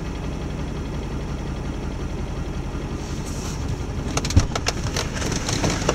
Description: Here is my truck, it has been doing this off and on for a while now, it runs great, just gets really rough sometimes when it is idling.